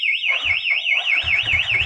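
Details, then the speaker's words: Yamaha Vixion with MP two-way anti-theft alarm installed plug-and-play, in silent mode: loud wailing siren sweeping up and down about four times a second, triggered by ignition tampering; engine cannot be started. "tapi ketika ada pembobolan seperti ini, maka alarm di motor tetap aktif."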